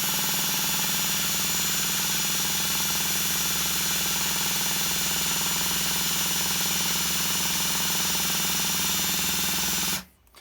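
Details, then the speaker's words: Duratrax Maximum Pro nitro RC engine spun by a drill through its 9/16 one-way bearing gives a steady fast even whir, about four beats a second, with no catches or binding; engine turns over freely, carb possibly clogged. "oh you guys hear that we actually turn it over easy already"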